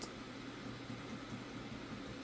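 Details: Old E-System desktop PC at BIOS, CPU at 19°C: steady loud whoosh with a constant low hum, fans flat out with no speed control because smart fan control was disabled in setup.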